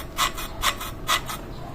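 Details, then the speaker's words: Honda Click version 3 scooter whose CVT became noisy by 1,000 km, cover open: turning the pulley gives rhythmic dry rasping like popping popcorn or shaved ice, caused by the belt's cracked or damaged surface dragging on the pulley face. "Yan po ang tunog at yung parang popcorn o parang ginagadgad na yelo eh ito po ang nagco-cause niyan itong ating belt"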